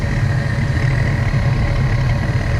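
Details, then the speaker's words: About 30-year-old Goodman gas furnace firing: low fluttering roar with a thin steady whistle and popping at the burners after the pilot lights; worn burners, which are to be replaced. "Fluttering. I don't know how well that translates. Hear it popping. So, we're going to get these burners changed out."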